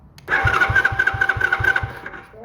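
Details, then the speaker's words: Small free ATV/four-wheeler, starter solenoid jumped from a big charged battery: quick, even cranking, about four compression pulses a second over a steady starter whine. Starter is fine; solenoid/kill switch circuit faulty. "cuz it cranks good well this is a big battery so it should crank good cuz that thing's charged all right so thank goodness our starter is not broken"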